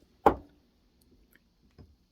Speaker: And what those rubbers do is they dampen this thing, because every time this thing goes, it needs something to dampen it or it's gonna break it.